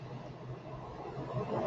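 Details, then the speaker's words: Medium-duty oxy-acetylene cutting torch, acetylene at 5 psi, increased until black smoke gone: steady soft low roar, feathery flame, no sharp hiss; correctly adjusted acetylene flame. "So about right there. Right, flips real feathery. It's kind of got a little roar to it, not a hiss. Okay, that's the sound and the sight you want."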